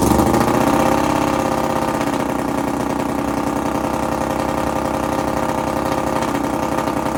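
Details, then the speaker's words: Half-scale NASCAR kart 4-cylinder engine, new custom aluminum intakes, first start in a while with choke: uneven lumpy beat about three and a half pulses a second, only cylinders 3 and 4 running; compression and spark good, one-side carburetor suspected. "are both cold, and it's only running on this side. Cylinders 3 and 4 are doing all the work."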